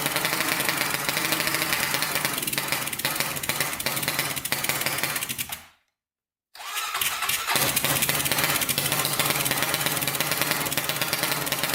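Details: 1999 Honda 400EX single-cylinder quad, newly turbocharged with carburetor, first start: uneven popping beat that stumbles and cuts out briefly, then picks back up ragged; rough running, fueling or oiling uncertain.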